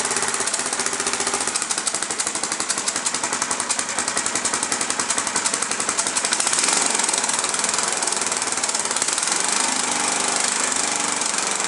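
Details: Snapper mower small engine: fast, rattly firing beat that swells and fades unevenly instead of holding steady, running rough; owner suspects the governor is out of adjustment.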